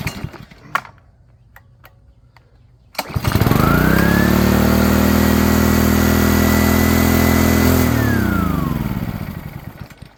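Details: Honda pressure washer engine after clearing clogged carburetor jet with wire, choke on: starts on one pull, runs smooth and even several seconds before winding down; normal start and run.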